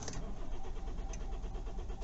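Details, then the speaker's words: Kia Ceed/i30 CRDi diesel just after fuel filter replacement, glow plug light on: steady starter cranking for a couple of seconds without catching; slow start, possibly air in fuel system. "we're in the car plug light is on that's not starting straight away though"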